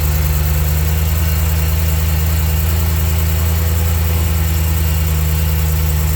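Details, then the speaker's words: BMW E92 M3 after DIY rod bearing and engine mount replacement, about nine quarts oil added, first start: steady, even V8 idle with smooth deep burble, no knocks, ticks or misses; healthy. "All right, the engine started right up. I'm going to let it idle for like 5 minutes and make sure that there's no leaks."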